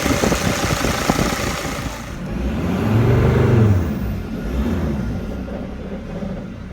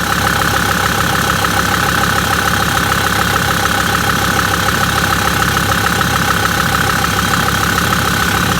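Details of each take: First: Mercedes Sprinter diesel with P299 turbo underboost code, turbo actuator under test with its lever down: idle sags and hums lower mid-clip, nearly stalling before recovering; raising the lever slightly stops it quitting. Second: Million-mile Mercedes Sprinter diesel with P299 turbo underboost code, original turbo actuator, idling as normal everyday: steady even clatter under two beats a second, no knocks or misses; working fine.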